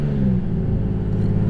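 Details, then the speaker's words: BMW E46 M3 with an RKTunes tune and six-to-one exhaust header, revving: a deep, smooth rumble rising evenly with no misses or rattles. A normal exhaust note, though idle had been struggling. "foreign damn still sounds good hopefully I'm not damaging the car by doing this"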